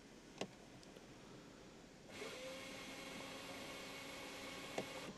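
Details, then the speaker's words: Mercedes CLA 200 CDI, 130,000 km, would not restart after auto stop: starter spins freely with a steady whir but the engine never cranks; starter or dual-mass flywheel suspected. "Saya coba jalan, yang saya dengar hanyalah motornya hidup. Saya sangat penasaran apakah motor starternya tidak bisa menghasilkan magnet, atau ada masalah dengan flywheelnya."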